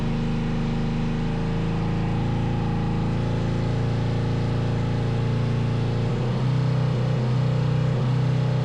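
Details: 500cc twin-carb buggy during carb sync with Motion Pro SyncPro: steady low twin-cylinder thrum, fairly even, slight unevenness when settling lower with a bit of backfire; at higher rpm cylinders match, one lags slightly at low rpm.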